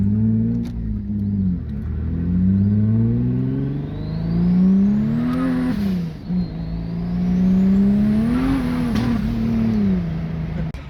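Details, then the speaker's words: Turbo 3800 V6 Cutlass Cruiser wagon, 5-speed, on the road under load: revs swell and flare in long surges with no steady pull; clutch slips once boost comes in, fine when kept out of boost in higher gears. "Once we finally got on the road though, we learned the engine, transmission, and turbo all work well together. However, that clutch was not up to the task."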